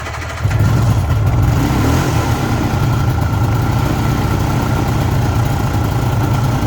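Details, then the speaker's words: 1974 Suzuki GT750 two-stroke, renovated about five years ago and little used since, started completely cold (not run that day) on choke: fires instantly and settles into a steady, buzzy idle with no misses or surging; healthy cold start. "as you can see it's absolutely cold not been started up today"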